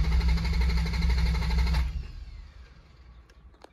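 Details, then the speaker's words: 1987 MK3 Toyota Supra project: even cranking at about three and a half turns a second, never fires; owner suspects no spark because of a faulty sensor, as the seller said, and will check the spark plugs. "cranks so that's not as quick as I can spark everything's cranking though that's a good sign"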